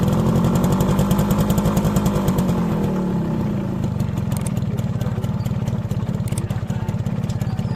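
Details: Motorcycle after fixing rear drum brake noise that followed new brake shoes, with the drum cleaned and the springs lightly greased: the single-cylinder engine thumps along evenly with no squeal or scrape. The rear drum brake now runs quiet.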